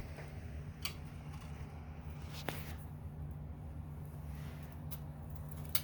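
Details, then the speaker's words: Sunny SF-E3911 cardio climber, both sides, run slowly by a rider: occasional sharp clicks, about four in six seconds, over a soft hum, worsening over time; heard from the floor, seemingly from the rollers under the foot pads running on the support. "it sounds like it might be coming from under the foot pads on the rollers that roll up and down this support."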